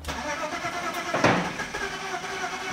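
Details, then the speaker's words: 1998 BMW 5 Series Touring, 2-litre six-cylinder, sat six days under ice in the cold: uneven starter churning with a brief louder surge midway, never catching; crank, no start, cause not confirmed. "nee joh niks er bijna dat ding start gewoon niet"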